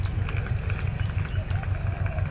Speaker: it's going at a nice a nice rate really not too fast even though it's just coming out one side that's okay that's not a worry this baby's working